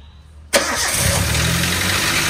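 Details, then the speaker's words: Toyota Avanza cold morning start after timing chain work and adjustment. It idles busy with a light, fast clatter on top: valve tick from many loose intake and exhaust valve clearances. Piston noise is also possible. "suaranya ada gitu ya karena ini setelan klepnya setelan klep itu banyak yang longgar yang X yang in itu ada yang kerapatan gitu"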